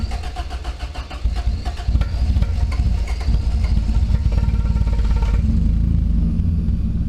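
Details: Toyota Corolla with 4AGE swap, just fitted in-tank fuel pump, cool morning, no cold start system: cranks about a second, catches cleanly and settles into even idle without misses, pump barely audible; normal start.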